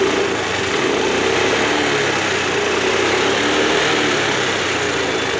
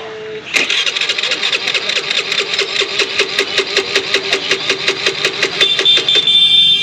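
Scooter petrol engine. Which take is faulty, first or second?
second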